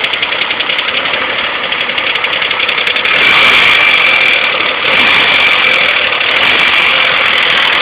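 Rough, uneven idle just after a cold start, with an irregular stumbling beat in the engine note: a misfire, cause unknown.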